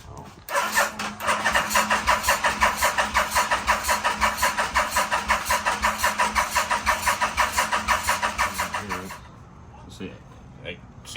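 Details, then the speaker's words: 1987 Yamaha Venture Royale 1300cc motorcycle, long-stored barn find, carbs just reinstalled: steady starter churning about two turns a second for nine seconds, never firing; cranks but no start, no fuel delivery as the fuel pump is not plugged in. "I want to see if it's actually spraying any fuel it's not I can see see it cuz it's not hooked up right there"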